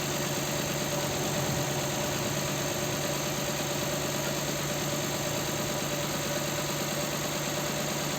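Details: Nissan Sentra 1.8 idle with uneven, stumbling beat, one cylinder dropping out each cycle; engine shakes and lacks power. Not coil or plug; injector wiring tested good by continuity, so the computer sends no pulse to that injector, likely needs replacement or repair.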